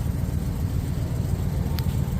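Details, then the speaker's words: Pontiac, first run in 50 years: smooth, even low idle burble with steady beat, no ticking or knocking, exhaust even; normal idle. "all right y'all can hear it no ticking no clocking a little bit doing pretty good"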